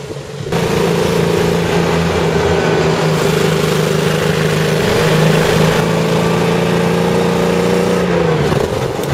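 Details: CVR(T) Striker FV102 Swingfire tank, August 2010: uneven, stumbling engine note with an irregular beat that never settles and repeated missed firing; misfiring badly, caused by a stuck valve; engine later replaced.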